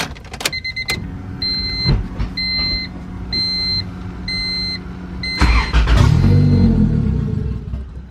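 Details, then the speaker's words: Honda Civic B20 VTEC, chipped P75 ECU with base map after new turbo kit install (ran fine before): door chime, cranks, catches and revs briefly then sags; starts but won't idle. "yep all starts it's running it starts it starts but it doesn't want to idle so let me race the idle a little bit on the front"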